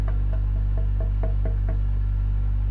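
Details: Boiler droning with a steady deep hum and faint irregular tapping; the drone changes as the damper (shiber) is closed or opened, flame burning normally inside; cause unclear.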